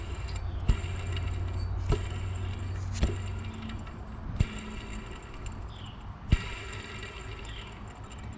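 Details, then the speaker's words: Supercharger pulley on a Mustang GT, hand-spun with the belt off, gives a low gritty rumble with sharp clicks: bad pulley bearing, to be pressed out and replaced; supercharger fluid drained showed a good bit of metal. "so that's a bad pulley so I'm going to replace it just got to find the socket that goes at the very outer of the bearing and then slowly press it out"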